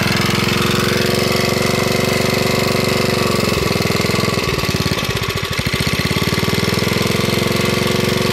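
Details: Small single-cylinder generator engine run on propane, on the ground: catches and settles into a steady, even buzz with no misses or knocks; runs clean on propane.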